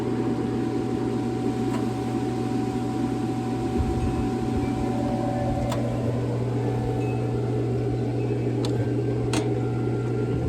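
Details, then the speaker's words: Raypak above-ground pool and spa gas heater after replacing pressure switch and rollout switch: sharp spark clicks over low hum, then burner fires and runs evenly; normal ignition. "Sparking. I just heard it fire up. Heating. All right, we are back in business."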